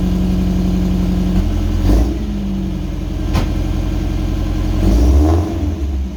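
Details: Old Subaru wagon after replacing the X-Force straight-through muffler with a new welded-in muffler, first start: smooth idle with a few revs, deep subdued exhaust note rising cleanly, no rattles or blowing.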